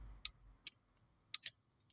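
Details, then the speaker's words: VW Vanagon radiator fan relay, bench tested with negative on 85 and positive on 86, after fan wouldn't switch off; sharp crisp spaced clicks as coil pulls in; relay clicks normally. "So, we put negative on 85 and then the positive on 86. And you can hear it click."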